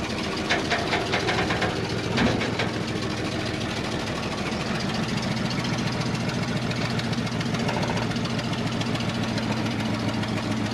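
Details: 1995 Toyota 4Runner that sat at least three years: uneven, lumpy idle with an irregular stumble and loping exhaust. The number one cylinder is suspected dead; it sparks but pulling it changes nothing, consistent with low compression.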